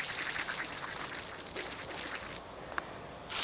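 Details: Failed belt tensioner pulley from a Ford F250, spun by hand off the vehicle: high gritty whir with fine rattly ticks as it spins down, then a sharp hiss.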